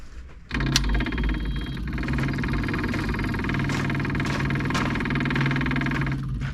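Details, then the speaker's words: Kubota KX033-4 excavator at its 1000-hour service, outdoors around 45°F: key on after fuel filter change, steady electric hum with quick ticking as the pump primes and fills the water separator, then quiets; normal priming. "So I'll flick that key on. You might be able to see the water separator fill up."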